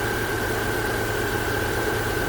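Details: 2010-2014 Subaru Outback after alternator replacement, jump-started: smooth even idle with steady light whine, no knocks or misses; alternator charging at 14.2 V, normal idle.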